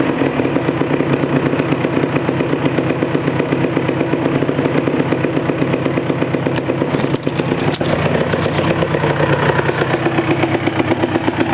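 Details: 1988 Suzuki LT250R two-stroke first start after a complete engine rebuild: crisp, rapid crackle that idles evenly and picks up cleanly on blips, no knocking or rattles; engine runs healthy.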